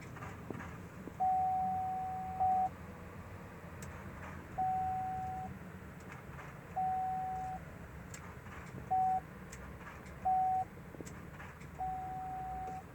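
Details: 2005 Chevy Silverado LT, key on: a few short even warning chimes in a quiet cab, no starter click or cranking; no crank, no start unless the driver's door is opened and closed.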